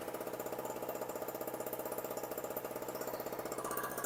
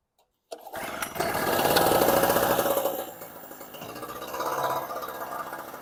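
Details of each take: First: Storm Cat 700W two-stroke 63cc generator after repair, run on 40:1 fuel mix (spec 50:1), a little smoky: small engine holds a steady, even buzzing beat with no hunting or dropouts, settled and running cleanly. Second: Storm Cat 700W Harbor Freight generator, 63cc two-stroke on 50:1 mix: fires and revs loudly for a couple of seconds, then sags to a weak uneven putter and dies. Owner suspects fuel starvation, possibly the carb float.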